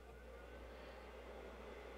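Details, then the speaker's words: Hiland-type bench DC power supply: quiet, continuous airy whir and soft low drone as its cooling fan runs full time at constant speed, bothersome in a small room. "you hear that noise it doesn't sound like much right now but I can assure you when you're sitting in a small room trying to concentrate on something that noise being there all the time it tends to be a little bit bothersome"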